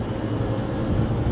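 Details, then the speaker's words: Backup freezer refrigeration compressor run through a new digital phase converter (single-phase to three-phase), freezer already below zero and frosting: steady low hum, no knocking or rattling; compressor running normally. "phase converter over here to bring us from singlephase to three-phase to fire that compressor off and run it."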